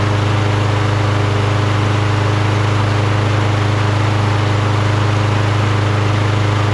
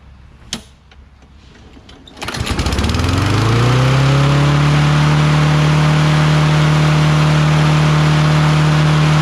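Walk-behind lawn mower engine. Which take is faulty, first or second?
second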